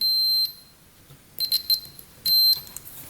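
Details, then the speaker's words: 1991 Kawasaki Vulcan 1200 starter relay or solenoid tested with a continuity tester: a steady high beep that cuts out and returns as the start button is worked, showing the switch contacts opening and closing; a sticking plunger is suspected. "So when you release the button, you have continuity. When you press the button, you should hear the beep go away. So right now we should hear the beep."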